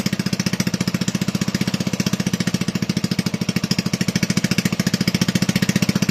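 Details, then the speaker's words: Toro 18005 mower, Tecumseh engine, governor not connected, spring holding throttle shut, throttle tab tweaked: fast even popping about a dozen pulses a second, steady with no stumbles; runs better than expected, not smoking. "I'm pretty happy. That runs better than I thought it would. It's not even smoking."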